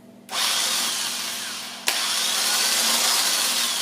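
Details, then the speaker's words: Starter removed from a 1996 Dodge Caravan, bench-tested with power to the motor only: steady high-pitched electric whir spinning freely, no grinding, gear not thrown out; starter motor healthy. "You notice it's working. All the thing is doing is just, putting power to the electric motor and spinning the starter. Again, the gear hasn't popped out."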